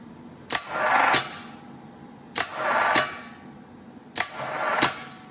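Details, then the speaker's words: Air-cooled VW starter motor bench tested, random used unit from a parts stash: three short whirring bursts with clicks, not winding up like a healthy one though seemingly improving; weak, slow to spin up. "you can see this one's not winding up like the other one did although it seems to be getting better"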